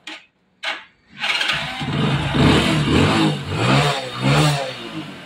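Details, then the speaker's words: Hero HF Deluxe / CD Deluxe bike after the loose nuts on the faulty self-start one-way clutch were dealt with: it fires after a short crank and revs cleanly with no rattle; the earlier engine noise is gone. "किसी प्रकार का कोई sound नहीं है"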